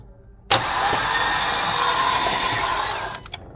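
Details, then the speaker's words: Porsche Macan GTS cranked with spark plugs and fuel pump fuses removed to clear carbon debris after intake valve cleaning: the starter spins the engine fast and evenly for about 2.5 seconds with no compression beats. "how quick the crank goes it's you don't hear that because we have removed the spark plug out there's no compression to actually do all that"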